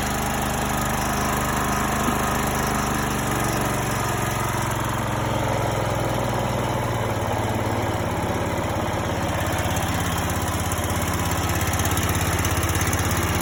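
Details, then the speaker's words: Greenfield E2000 ride-on mower, 17HP Briggs & Stratton Intek OHV, sat for years: even steady beat easing smoothly down to low idle, no misses or knocks; runs nicely, no tune needed. "There you go, secret weapon. That runs pretty nice. So that was down to low idle. Don't think it needs a tune or anything."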